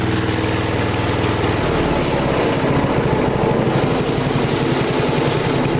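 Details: Flea-market lawn mower with Briggs & Stratton 5 HP engine, primed three times, half throttle: rapid, even single-cylinder buzz with steady beat; runs smoothly and strongly.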